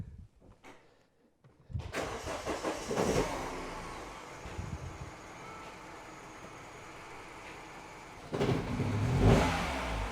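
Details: Mini Cooper R56 petrol engine started from cold: cranks, catches roughly, misfires, stumbles and stalls, then is cranked again; misfire occurs only when cold and clears after a mile or two of driving.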